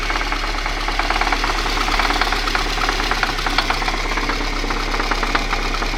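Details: VAZ 2111 engine at idle: sharp metallic tapping with uneven spacing comes through over the idle; engine knock with the cause not identified.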